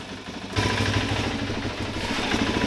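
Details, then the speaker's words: 2002 Suzuki DRZ-400E converted for road use, which cranks but won't fire unless the kill switch is out: after silence the single fires right up and settles into a steady, even idle thump with no knocks or rattles; healthy engine. "You actually have to have the kill switch out, and then she fires right up."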